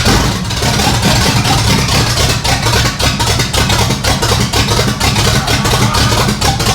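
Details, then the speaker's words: 1964 Ford F100 with 466 V8 (double heads, Summit cam), cold: loud, uneven V8 with ragged, lumpy firing and no steady beat, rough because it isn't warm yet. "right there right there she's cold blooded cuz it ain't warm"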